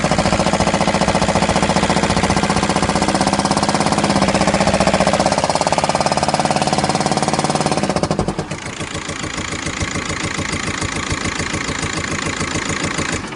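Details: VW Golf 5 at idle: heavy, rapid hammering knock about three or four beats a second, loud and steady; same noise cold or warm, disappears after 2–3 minutes of running; cause unknown.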